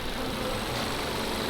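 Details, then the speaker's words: Audi A3 S-Line after replacing AC pipe valve and regassing, AC on at idle: steady even rush of air from both radiator fans, no rattle or rubbing, AC compressor engaging and blowing cold; fans running normally. "so the fans are running, both fans are running, and this is the AC pipe there."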